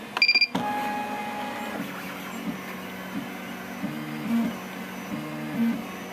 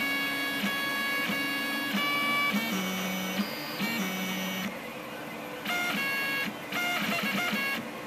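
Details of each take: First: Rostock MAX v2 delta 3D printer after Astrosyn dampers fitted on its three axis stepper motors: soft low stepping hum shifting pitch as axes move, no harsh buzz; two other printers hum faintly behind. Motors run quiet. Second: Rostock MAX v2 delta 3D printer before Astrosyn dampers are fitted on its three axis stepper motors: loud shifting musical buzzing tones changing pitch with each move, undamped steppers singing through the frame.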